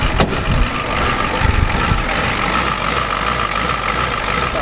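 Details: 1993 Ford F-250 7.3L IDI diesel with new injectors, first start since Monday: lumpy uneven low idle rumble with faint whistle, heavy smoke; injection pump later confirmed out of time.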